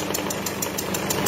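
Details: Peugeot 207 SW 1.6 HDi (PSA) diesel at idle: sharp, regular chuffing tick about six times a second. Compression leak past a failed injector seal.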